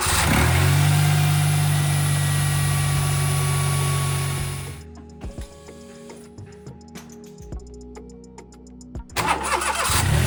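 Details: Smart Roadster 452 engine after freeing a seized alternator with a 24mm spanner and chain lube (had delayed, struggling starts): turns over freely, catches cleanly and holds a steady, even idle before shutdown, no binding or scraping; normal cranking and idle.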